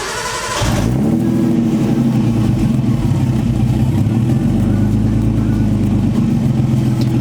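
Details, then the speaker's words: Nissan RB20 after LS1 alternator upgrade, restarted with fans refitted: catches and settles into slightly hunting idle blamed on a faulty idle air control valve; no belt chirp or squeal, alternator drive healthy. "So that's good. My idle is all messed up because my air idle control valve doesn't work right."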